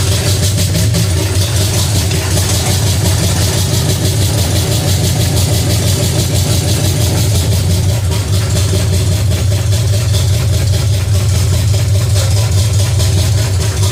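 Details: Pontiac 350 V8 in a 1950 Pontiac gasser with 6-speed, headers refitted, idling after the motor plugs were changed and idle screw adjusted: steady, even low beat, no misses or knocks; normal idle, runs better with a rigged coil wire.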